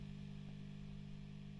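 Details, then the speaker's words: Well-gigged Vox AC30 JMI-era valve guitar amp, warmed up, idling with volume down: steady low hum with faint buzz, reduced after warm-up but still present; also faulty bass control and tremolo channel, in for service. "so you can hear some of the humming as just take that off yeah so it's not hming quite as much as it was now it's warmed up but it's it's still got some backr home going on there it's just reduced a little"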